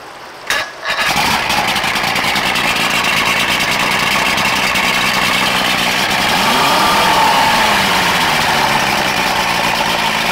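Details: Boston Whaler with a 90 hp Johnson two-stroke outboard, unused since 2015, after a new ignition pack for no spark and rebuilt carbs: it fires on the first try into an even, steady idle with no misses; normal start and idle.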